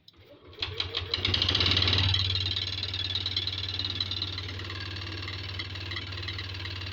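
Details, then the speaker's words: Yamaha Lexi 125 scooter that showed error code 61, now starting after a worn spark plug was replaced: after a few cranks it fires and settles to an uneven, harsh idle, still running rough; engine teardown planned. "ternyata ada di busi ketika businya saya ganti dia hidup walaupun gak normal ya suaranya kasar"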